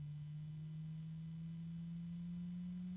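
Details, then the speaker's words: Asia Horse PC case fan: quiet, smooth, constant hum with no rattle or vibration, unlike the other fan of the batch, whose noise suggested a poor bearing. "yeah this one's much better yeah it's that one fan the one fan is crap"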